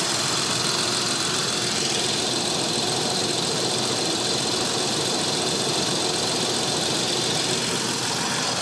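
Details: Nissan 300ZX twin turbo at steady idle with a constant airy hiss over the engine note and no rhythm to it, from an intake vacuum leak.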